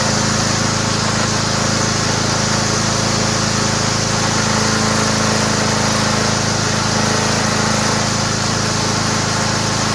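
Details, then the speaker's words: Toro Recycler mower rebuilt from three broken mowers with a used engine mounted, oversized belt fitted so self-propel won't work, frayed cable: steady, even single-cylinder drone with no misses, knocks or surging; engine runs well. "Let's see if it starts. Sounds great. That's a good engine, man."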